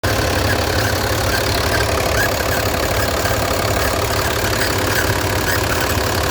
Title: Barulho no motor om906 do 1620 eletrônico. Parece ser rolamento, mas é correia. #mb1620 #caminhão